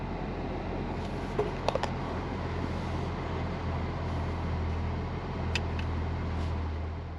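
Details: 2015 Chevrolet Camaro SS 6.2 manual, 25k miles, after alternator replacement: low steady idle drone, no misses, knocks or whine; charging about 13.9–14 V, battery light out, no check engine light; idles cleanly.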